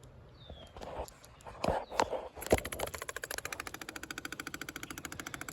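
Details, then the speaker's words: 12v diesel with a fuel problem, electric lift pump running at about a dozen clicks a second: it pushes fuel up, but there is only an air leak. No fuel seems to pass the P-pump, and none reaches the top injectors; cause unknown. "So, that's pushing fuel through, but I still have just an air leak with no fuel. And like I said, no fuel on these top injectors."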